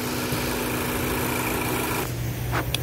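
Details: 2014 Ford Focus, 150,000 miles, check engine light, bucking/jerking and lean condition: steady idle with a constant high hiss as the purge valve hose is disconnected and pulls vacuum; the purge valve is leaking and stuck open, confirmed as the cause.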